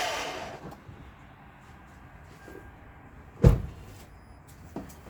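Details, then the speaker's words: Lexus LS460, key turned: one solid clunk then a lighter click, no cranking; suspected starter plunger not pushing the pinion out to engage the flywheel; starter being replaced. "so you hear it it seem like the plunger is not pushing that pinion out to engage that flywheel"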